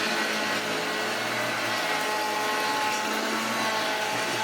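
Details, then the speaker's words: Hoover Junior 1334 vacuum, an unboxed loft find, first run. A loud rough rumbling rattle with thin squeals over the motor whine. One motor bearing is completely gone, letting the shaft move. "Oh yes, you can tell that one of the bearings is completely gone because moves it."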